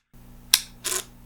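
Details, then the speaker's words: Panasonic GH5S camera after overheating in about 90° sun with official Panasonic battery: on inserting the battery, one sharp click then a brief buzzing whir that stops short as the motor tries but fails to open the stuck shutter. "see that when I put the battery in even though it's not off it tries to open the shutter but it cannot and here's what happens when I turn it"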